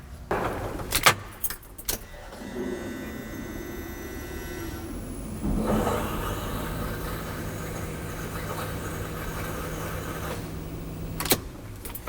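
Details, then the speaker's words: Fuel pump priming after final engine-bay assembly with new fuel and transmission cooler lines: faint steady hum for several seconds after key click, then stops; quiet normal cycling, no leaks, fuel pressure rising to 60 PSI. "That sounded like fuel pump cycling to me. And it was quiet too."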